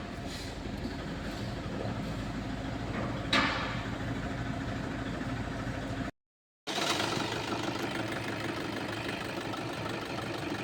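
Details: Toyota petrol engine idling with an uneven, lumpy beat and jerking: a cylinder misfire, with an open injector circuit found.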